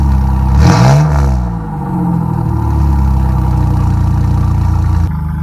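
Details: 1997 Chevy Camaro RS, 3.8L 3800 Series II V6, Cherry Bomb Turbo muffler with new turned-down tailpipe: a rev blip, then a deep, even burble settling to a smooth idle, no boom or drone; interior drone eliminated.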